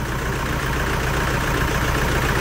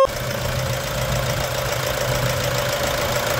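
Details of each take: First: 2011 Toyota Hilux 2.5 diesel, lacking power: low idle with an uneven, lumpy beat and no clean rhythm, misfiring from rotten, contaminated diesel; scan showed a pump valve code, and injectors, pump, lines and tank need removal and cleaning. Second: 2011 Toyota Hilux 2.5 diesel after intake manifold decarbonization, tank cleaning, new filters and fresh coolant: even diesel clatter at steady idle with a faint shake, no misses or hunting; normal idle.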